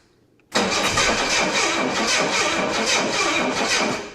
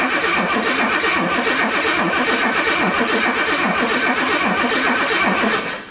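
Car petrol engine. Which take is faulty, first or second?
second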